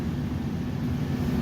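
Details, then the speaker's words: 1986 Kenmore 70 Power Miser furnace: steady low droning hum with a rough, uneven rumble from the blower motor, which has been cycling on and off while burners stay lit; stack switch suspected; abnormal blower motor noise. "I don't know if you can quite hear me over this blower motor that sounds like it's on its way to hell in a handbasket, but this is the furnace in the house I just bought."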